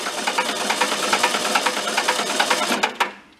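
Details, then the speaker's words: Barn-found circa-1973 VW Karmann Ghia, unrun about 31 years, cranking: light fast clacking about three per second; oil pressure test light goes out, pressure builds well; slow-returning valve suspected, not confirmed. "by clacking you let it spin for a little bit I'm surprised he hasn't shot a bunch of oil out of the cylinders"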